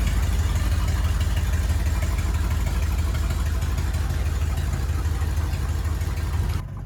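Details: 1979 Ford F100, sat ten years, idling after cleaned carburetor installed: low, even idle pulsing about three beats a second, no misses or stumbles, until shut off; normal idle.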